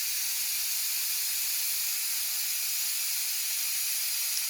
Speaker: All the steam's coming out of it. I'm sure you can see that steam coming out of there. That's going to take about 1 minute, 2 minutes just to release all that pressure.